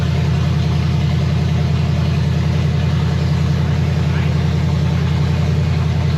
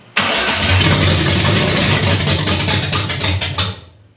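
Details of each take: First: 1965 Chevy Nova wagon, 327 small block on open headers with Edelbrock Performer RPM Air-Gap intake, first fire, 30 lb oil pressure, water temperature 180: loud, steady idle with an even, deep, rapid pulse, no misses or knocks; normal idle. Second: 1965 Nova wagon 327 with an Edelbrock AVS2 carb at first start: it fires on a little fuel in the float bowl, runs rough about three seconds, then dies. The fuel filter stays dry as the pump struggles to pull fuel, a fuel starvation stall.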